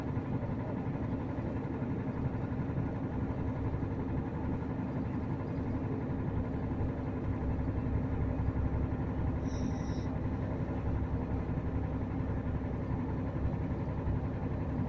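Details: VDL Berkhof bus with DAF diesel idling with a deep, uneven knock pulsing through the low rumble; owner unsure whether it is rod knock or piston slap, cause undetermined.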